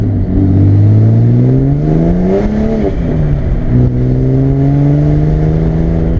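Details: Barra-swapped Mustang drift car after the faulty cylinder-one injector was replaced with stock FG injectors: strong, clean engine note climbs and settles through several blips, smooth and even, no misfire or knocking; normal revving.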